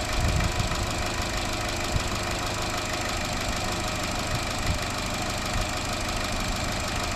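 Constant light metallic chatter riding over a steady idle; lifters starving for oil pressure, traced to a loose upper timing chain guide.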